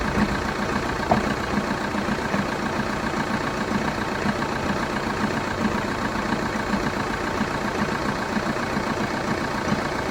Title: Vauxhall Astra 2.0 CDTi 2012 cold start engine rattle / knocking noise ?